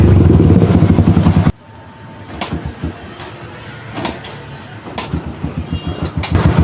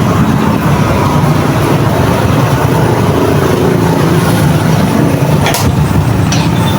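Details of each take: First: Yamaha XTZ125 with new wire harness and CDI and original regulator: revs hard then drops into uneven stumbling pops about once a second, refusing high rpm; misfire traced to CDI losing a steady 12-volt supply. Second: Yamaha XTZ125 that misfired despite new CDI, rectifier and wire harness, after adding a fused 12 V constant supply to the CDI: steady run then smooth climbing revs with no misfire or stumble; normal revving.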